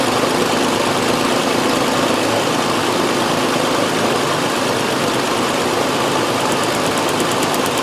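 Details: 2001 Nissan Frontier 3.3 V6 with check-engine light and P0302 code: uneven, stumbling idle with an irregular lumpy beat. Misfire; a plug-wire pull test shows cylinder 2 is dead even though spark is good.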